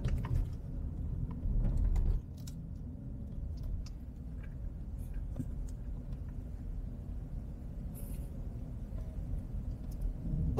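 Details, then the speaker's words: Honda CR-V Turbo after full sound-deadening install, test drive at about 40 km/h on rough residential asphalt, heard from inside the cabin. Steady, soft tyre rumble with no booming or drone; quiet, well-damped cabin. "aspal kasar loh asik banget ya kita ngelewatin aspal kasar tapi di dalam kabin benar-benar halus banget"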